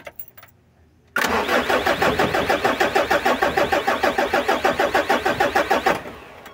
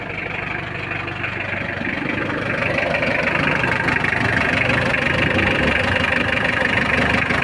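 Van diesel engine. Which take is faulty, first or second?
first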